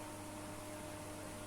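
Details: Home-built power amplifier: loud steady low buzz-hum that gets louder when volume is raised, from failing filter capacitors and a missing ground.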